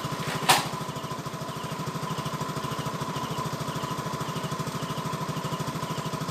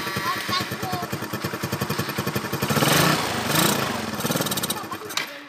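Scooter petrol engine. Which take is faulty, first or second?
second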